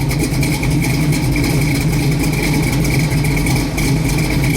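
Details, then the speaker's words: 1971 Chevrolet Chevelle Heavy Chevy big block, Turbo 400, ~2,000 miles since frame-off restoration: deep, loping idle with rolling lumpy "hippity hop" rhythm over steady rumble; normal lopey cam idle. "it in the hippity, hippity, hippity, hippity hop. I call it the hippity hop. The horse hippity hop."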